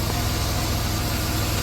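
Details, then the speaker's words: 1990 Dodge Grand Caravan LE, likely original engine at 275 (thousand), just started after storage: smooth, low, even idle with no lifter tick or knock, dead silent where it used to be ticky when bought. Normal idle. "Listen to that motor pur. Remember how ticky that was when we first bought it? That motor is dead silent for 275."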